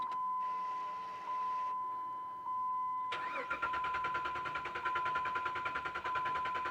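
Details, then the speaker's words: 2007 Jeep Liberty after new battery install, fuel gauge on E; steady electronic tone then strong even cranking about one beat a second, never firing, fired once earlier: crank no start, no fuel pump pressure. "wow that's interesting she whips right over but uh she ain't firing it kicked that first time something's going on here"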